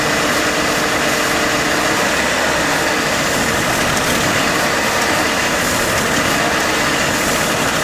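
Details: Warm AMC Eagle engine with a newly fitted carburetor and the electric choke possibly installed backwards. A steady, elevated drone with a hissy top end that never drops; the owner suspects the choke not releasing and a vacuum leak at the intake manifold, unconfirmed.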